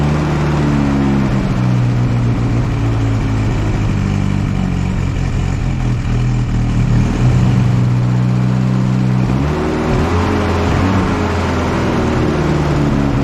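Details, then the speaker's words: 1964 Jeep CJ5, one-owner barn find with a previously locked-up engine, revived and running: smooth, steady note that rises briefly with a rev and settles back, firing evenly with no knocks; some exhaust smoke expected to clear. Normal running. "oh guys I am just so happy about this you guys hear how smooth this thing's actually running this is unbelievable from being being a locked up hunk of scrap IR to running that smooth that quickly is impressive"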